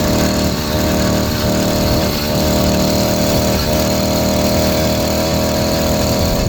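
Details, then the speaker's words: 80cc two-stroke motorized bicycle with stock carburetor, cleaned, needle on highest setting, seals checked: buzzy idle sagging and burbling every second or so; extremely over-rich mixture, ignition coil/magneto also suspected. "I check the seals on the carburetor it seems like it's running really rich extremely rich"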